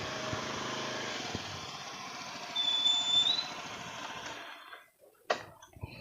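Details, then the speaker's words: Mitsubishi Xpander automatic for sale, factory QC marks intact showing engine never opened, new battery, hood open: even fast idle with soft steady hiss, no ticking or knocking; seller says still smooth. Normal idle. "Nah, kita sepilkan mesinnya ya, mesinnya bersih dan suaranya seperti ini. Suaranya masih halus ya Bayar ya."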